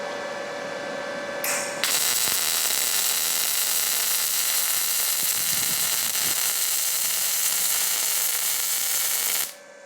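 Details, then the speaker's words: Firstess/Yeswelder DP200 MIG welder with pulse off, inductance turned all the way up: even, smooth sizzle for about eight seconds with little spatter crackle; softer, less violent arc than the low setting. "You could hear it in the sound. Was a little softer."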